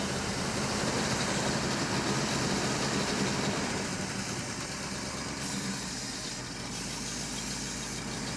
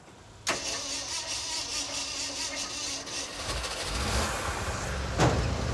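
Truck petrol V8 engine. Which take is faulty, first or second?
second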